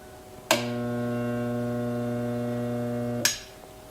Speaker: just a buzzing sound and nothing else so the first thing to do is see if there's anything stuck in there